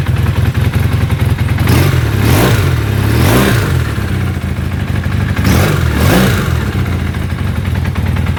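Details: Honda CB400 motorcycle engine idling and blipped a few times, with a light clattering rattle under the revs throughout; the noise is from the cam timing chain.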